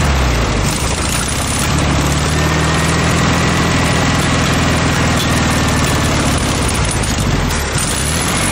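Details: VW Beetle air-cooled flat-four swapped into a junkyard motorcycle build, fed from a mocart fuel tank and described as a little heavy on two-stroke oil, runs on its own with a low, throbbing, fairly steady idle for several seconds. Normal idle.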